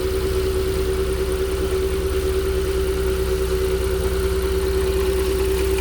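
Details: 2017 Porsche Cayenne 3.6 biturbo, 177,000 km mostly city driving, brought in for a foreign engine knock, warmed up during service with ZM 5W-40 oil and ArmActiv additive: steady idle with a light regular knock about three per second; cause unknown.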